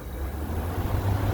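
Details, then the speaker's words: A 2014 5000 BTU Frigidaire window AC, unused 5 years, on high cool building head pressure: a low, steady hum with no rattle or knock. Lines are sweating and the compressor runs normally and quietly. "Let's let it build some head pressure here. A quiet compressor."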